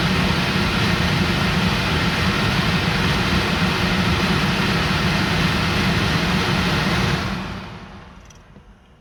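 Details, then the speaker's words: Range Rover L322 after blower motor replacement, fan run up to maximum speed: even steady rushing whoosh with no squeal or scrape, then smooth wind-down; balance not great but no screeching like the old motor; normal blower fan running. "I mean, the balance isn't great on it, but it isn't making the screeching noises the last one did, so I guess it's okay."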